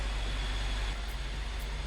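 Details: BMW F13 650i N63TU V8, first start after oil pump chain slack service, oil filter pre-filled: deep, even idle rumble with a steady beat, no ticking or knocking; healthy.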